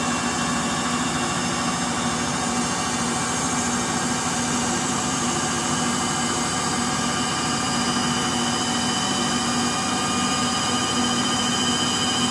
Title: Frigidaire Gallery Front Load Washer model GLTF1670AS1 Final Spin (Bad Motor Bearings) Video 2